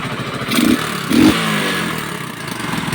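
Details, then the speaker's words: Kawasaki Boxer after 4-pin CDI conversion fix and idle adjustment, no longer dying: uneven puffs and sharp pops over the idle from leaks at the exhaust pipe, to be cleaned and welded; exhaust leak puffing. "na po siya [Musika] namumugot dito singaw lang mga idol singaw lilinisan na lang natin kasi may mga Tagas Tagas ta's ipa welding natin yung tambutso"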